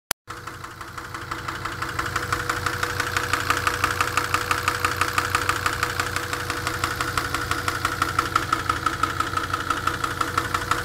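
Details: Unexplained engine knock: sharp, even knock about three times a second over a steady idle, clearly separate from the engine note; cause not yet known.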